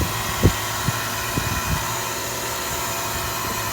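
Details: 2000 Payne Teardrop heat pump outdoor unit running: steady fan rush broken by irregular low thumps and knocks about every second; sounds terrible, cause unclear, expected to fail soon; abnormal operating noise.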